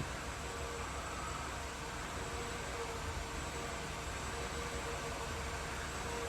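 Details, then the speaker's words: 2009 Mini 1.6 after cleaning a Vanos solenoid blocked by metal filings: steady, even idle with a soft constant hum and no surging or hunting. It previously hunted and tried to cut out; the code cleared and has not returned. "so yeah she's running lots better"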